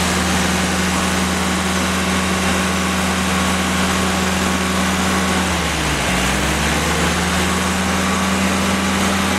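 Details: Freshly rebuilt Willys F134 engine (CJ3B) running for break-in on electronic ignition with a cooling fan running; steady even low drone with a brief mid dip in speed and fan hiss behind, running smoothly and healthy.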